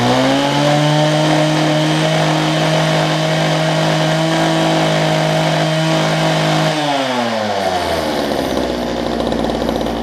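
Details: Relatively old gas-powered Homelite HT hedge trimmer: small two-stroke buzzes at steady high speed, then pitch drops smoothly as it throttles back; even, clean running.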